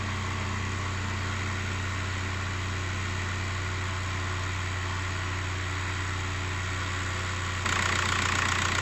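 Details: 1.9 TDI PD105 (BKC) in a Mk5 Golf after turbo replacement and EGR valve/cooler delete, with the boost pipe left off. Even, steady diesel clatter with no leaks; a healthy idle.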